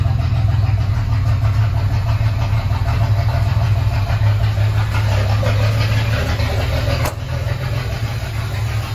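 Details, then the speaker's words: Ford 300 inline-six with newly finished homemade welded turbo header, first fire-up with exhaust cutouts open after priming fuel pump: strong deep even idle, no knocks or misses. Normal idle after header install. "it's probably going to sound and run exactly the same so I guess all that St to do is just fire it up"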